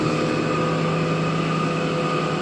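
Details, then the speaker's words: Carruthers AE5000-2D machine test run with blades and belts removed, no load: steady even motor hum with constant pitch, no knocks or grinding; 2 hp spiral motor drawing 1.5 A, 5 hp gang motor 3.1 A, belt motor about half an amp, all normal. "what we have here is an a5000 I've got all the blades off of it and the belts just test running the motors testing the electronics everything looks pretty good all the sensors"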